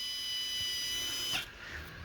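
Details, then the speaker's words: Volvo Penta 5.7 V8 in a Chaparral boat, fuel stored for years and turned to brown varnish-like bad gas: the electric fuel pump gives a thin, high, steady whine that never drops in pitch before cutting off; it runs without building pressure, only air reaching the fuel valve. "Yeah, I'm not hearing that pitch turn. Still high pitch. I'm not building any."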